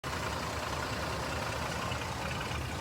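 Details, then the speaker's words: Jeep Liberty at idle: rough running with a harsh diesel-like clatter; owner wonders about detonation, pre-ignition, valve tap or a bad coil and dead cylinder, unconfirmed. "what's that sound YouTube is that detonation is that pre-ignition are my valves tapping [Applause] sounds like a diesel"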